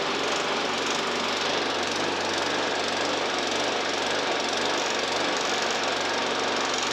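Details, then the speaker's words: Briggs and Stratton 450E lawnmower engine, now running where it wouldn't before: busy, uneven chatter that rises and falls; still hunting, with the carburettor suspected again. "right then as you can hear it's still hunting it means carve off again that bloody nuisance these carbs"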